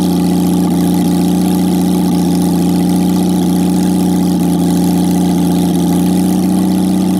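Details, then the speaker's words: Jaguar XK6 inline-six after a junkyard rebuild, no exhaust, no radiator, in a homemade boat-tail speedster: loud, raw open-pipe idle with a steady, even beat and no knocks or misses; normal idle. "it fired up on the first attempt which was just awesome and it it sounds amazing when this thing's running with of course with no exhaust it's just awesome"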